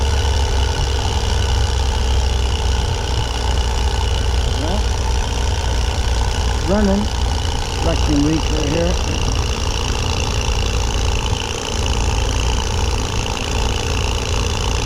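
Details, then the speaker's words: 1988 Dodge B250 Roadtrek van, 318 TBI V8, after replacing rough-running, stalling throttle-body fuel injectors and the temperature sensor: steady, even idle with a low smooth rumble, no misses or stumbles; normal idle. "when it goes back on yeah sounds pretty good in the yard take it for a test drive but uh so far so good quite an easy job"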